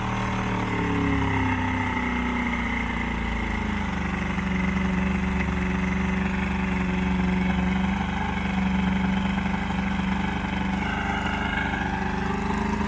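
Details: Old 90hp Johnson outboard on a 1987 Crestliner, sat about a year, fresh plugs: uneven hunting beat, wavering pitch instead of a steady idle; rough running, needs carb work, engine getting hot.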